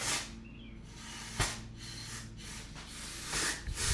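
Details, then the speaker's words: Foxbody Mustang ('79 pace car) sunroof front drain hole blown out with an air gun: sharp bursts of hissing air pass cleanly with no gurgling or choking; drain clear. "Just give it a light blow. Well, it sounds clear, so that's good."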